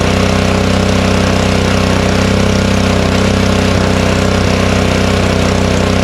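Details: Honda snowblower, unused since the last snowstorm, started on choke with fuel shut off to run the carburettor dry for storage: steady, even putter at constant speed, no misses, knocks or surging; runs healthy.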